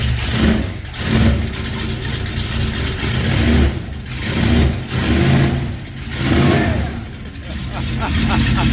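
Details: 1955/56 Ford C600 with Holley Sniper EFI and HyperSpark distributor, no-start fixed by correcting distributor phasing 180 degrees: engine catches and revs in repeated swells, dropping back each time, pulling cleanly with no misfire or stumble.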